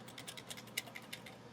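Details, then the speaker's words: Mazda Miata on a lift, wheel spun by hand: light, crisp clicking about seven a second as the driveline turns; owner 90% sure it is a worn throwout bearing, possibly broken plastic inside. "I'll check the transmission fluid, of course, but I'm 90% sure the issue is the throwout bearing."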